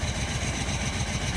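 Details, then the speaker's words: 2005 Jeep Liberty started with a jump box: uneven, lumpy, stumbling low idle with no steady rhythm, though it can still move forward and backward. Rough idle, cause unknown. "start it up with a jump running very rough able to move it"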